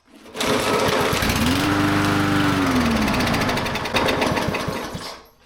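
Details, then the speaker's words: Dirty, long-unused small engine with a blade (likely mower), two shots of quick start then a pull: fires, revs unevenly and sputters a few seconds then dies; blew out lots of dirt. Suspected needs carb clean or fresh gas. Rough running. "Okay. Super gross, but it ran. So, we might get away with just a carb clean on this one."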